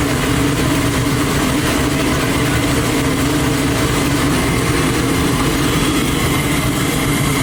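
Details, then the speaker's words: Twin-turbo Chevy Nova on methanol, first start after two months of problems, no coolant running, engine temp about 127: big V8 holds a loud, steady, deep lumpy idle with no knocks or misses; normal idle. "Oh, it sounds fucking killer. It's gonna be a beast."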